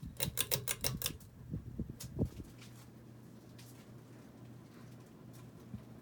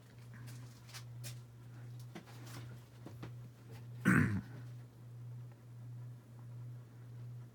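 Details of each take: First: Dynasty 52-inch hugger ceiling fan CF-HA52 from January 1988 switched to high speed. After a few clicks it settles into a steady, even low hum with no rattle or wobble, humming less than on medium. Normal running on high. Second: Dynasty 52-inch hugger ceiling fan CF-HA52 from January 1988 on medium speed, where it wobbles and hums most of its three speeds; only one mount on each side lets it sway. Low hum swells and fades about twice a second.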